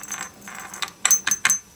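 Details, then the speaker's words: Used Dolmar PS32 chainsaw: ringing/jingling at idle with the chain brake engaged, caused by a loose washer dancing against the clutch drum; shown by turning the drum by hand. Harmless to cutting performance. "dabei habe ich dann gesehen wie die Scheibe ja etwas tanzt dann gegen die Kupplungsglocke und dabei wird dann das Geräusch erzeugt"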